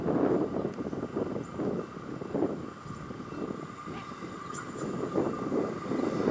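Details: SMART commuter train no. 113/114 passing in the countryside near Cotati, CA: a thin, steady high-pitched screeching and grinding over the rumble and clatter of the train, pointing to wheels squealing on the rail.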